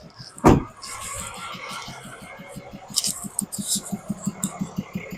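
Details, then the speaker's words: 2022 Cummins diesel, just under 34k miles, at rough idle: sharp regular ticking about 3–4 per second with puffing back through the intake. One collapsed lifter, 10 failed pushrods and all rocker arms failed, linked to a camshaft problem. "You can hear it ticking. You can hear it popping back up through the intake. My guess is we've got major rocker arm failure."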